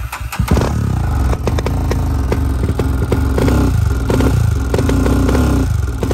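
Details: Honda TRX400EX single-cylinder ATV engine thumps unevenly with sharp pops and spits, exhaust seen shooting out; rough misfiring running, owner suspects head gasket failure and possibly a roasted piston.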